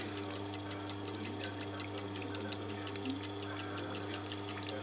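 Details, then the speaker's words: Old Chinese reverse-osmosis unit (about 7-8 years, CB5 controller) after repair: steady low pump hum with quick fine ticking and water hiss as a bypass valve relieves, pressure guessed at roughly 8 atmospheres. "ну слышно, какой-то один клапан перепускает. То есть, я так понимаю, сюда идет давление в порядках 8 атмосфер."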